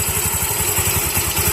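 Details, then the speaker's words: TVS Jupiter/Zest scooter started after a worn clutch overhaul with the clutch drum cleaned and the air filter off. Steady, even single-cylinder idle with no rattle from the clutch side and good variator response: normal idle. "ஒரு operating sound மட்டும்தான் இருக்குது, வேறு எந்த விதமான சவுண்டும் இல்லை. இந்த கடகடா அந்த சவுண்டெல்லாம் இல்லை."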